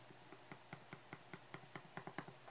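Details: Loose grille cap rattling on a Shure SM57 microphone, heard through a speaker in a quiet room: dry clicking rattles about five a second, faster and uneven near the end; Shure offers a free fix per its SM57 grill rattle bulletin.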